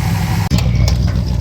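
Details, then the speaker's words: Classic car started after vacuum leak repair: steady, low, even idle with no hiss or sucking noise; vacuum leak no longer audible, normal idle. "I just love the way that sounds. Well, I don't hear the hissing anymore."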